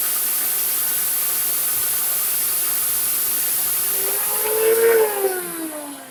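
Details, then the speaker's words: Farmer IZE-05 grain grinder test-grinding wheat: an even, steady high whine with strong hiss as the grain feeds through, then the motor note slides down. It grinds quickly and runs smooth and healthy. "you see quickly, a little later we'll see the degree of grinding"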